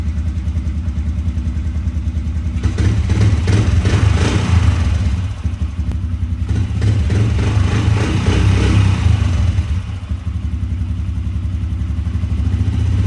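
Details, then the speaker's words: 1998 Honda TRX 90 ATV after sitting three years, with new carburetor bowl, petcock, carb clean, oil change and no-spark fix: small single settles into a steady, even putter with brief blips; normal idle. "so as you can hear it is running and idling well"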